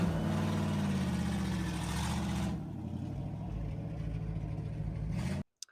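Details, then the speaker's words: 1963 Chevy C10 after wheel bearing fix, driving then idling: engine pulls smoothly and settles to even idle with no knocking or clunking; earlier knocking noise traced to a wheel bearing. "So, as you can see, we drove around a little bit. The knocking noise is gone."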